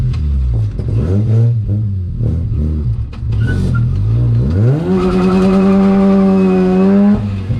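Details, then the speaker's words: 13B rotary-engined BMW E36 ute on road drive after long idling; choppy uneven burble at low revs smoothing higher up, misfire down low and won't idle properly, owner suspects plugs fouled by overfuelling. "As you can hear, it's got like a misfire down low, so I've got to sort that out, and it won't really idle properly at the moment, so that's a little bit weird, but overall a fun wee drive"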